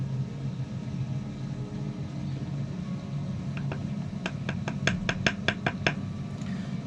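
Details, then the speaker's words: Hydronic heating boiler in a VW Crafter camper van, switched on while filling and self-priming the coolant, still taking coolant. Low steady rumble, then sharp ticks about two per second as the fuel pump starts; normal burner start-up. "hear the boiler oil is kicking in i'd like it to take a bit more coolant than that still"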